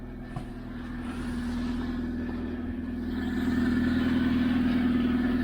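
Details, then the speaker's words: Chevy Spark manual that won't engage reverse or fifth, engine bay, idling: an uneven rattly chatter appears once the clutch is released. Owner suspects the clutch release bearing, unconfirmed; the noise stops when a gear is selected. "hear it launching away in the release sounds like the release bearing to me or something along those lines is not happy at all"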